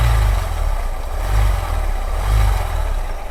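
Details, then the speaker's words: Honda SP Shine 125 cc motorcycle, clutch cover off and gearbox output disconnected so only crank, piston and camshaft turn: deep, uneven "ghar ghar" rumble swelling about once a second under exhaust beat; gearbox and clutch ruled out, pointing to broken camshaft bearing. "Sound आ रहा है guys घर घर घर घर कर रहा है"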